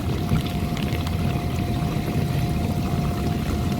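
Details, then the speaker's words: KitchenAid dishwasher model KDFE304DBL0 on a test cycle after replacing the diverter motor to cure a leak underneath: steady water swish and low pump rumble with a constant faint hum, no grinding or rattles; running normally with no leak seen. "all right clearly you can hear the dishwasher running and got the camera focused on the inverter motor i'm not seeing anything thankfully sorry"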